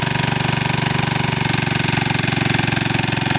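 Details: 2000 W generator running on woodgas with an electric heater/heat gun on high: even, steady chugging at slightly low, laboring speed, no misses or surging; runs smoothly but woodgas loses power, about 1000 W deliverable, reduced RPM near 50 Hz at 1400 W.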